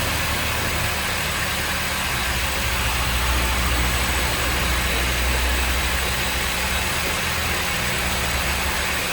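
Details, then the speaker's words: 2013/14 Honda New Civic 2.0 with hard starting: steady idle with a light, constant whir and rattle from the belt side; diagnosed as the accessory belt tensioner. "tem um barulho aqui a gente já viu que é o tensor da correia de acessórios"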